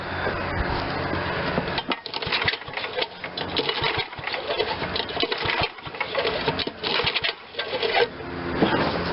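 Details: Old Ariens RT7020 rototiller, Tecumseh HH70 7 hp horizontal-shaft engine, sat a while, carb cleaner sprayed in: repeated rattling pull-cord cranking bursts with pauses, never catching; cranks but won't start.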